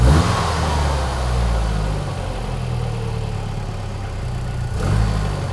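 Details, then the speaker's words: 1993 Ford 2.3L Lima engine, first start, cold garage, at 122 degrees: low steady idle at 950 rpm that sags briefly and recovers; slight idle stumble, cause not yet found, code scan planned. "There, it stumbled a little. Oh, and it also falls on its face when you put it in gear."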